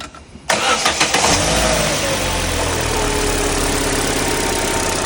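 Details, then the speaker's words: Chevrolet Tracker engine after partial teardown, both accessory drive belts removed and the noise source found: quick crank, catches at once and settles into a smooth, even idle with no tick or whine; the earlier noise is gone. "Como pueden escuchar y observar, el ruido desapareció."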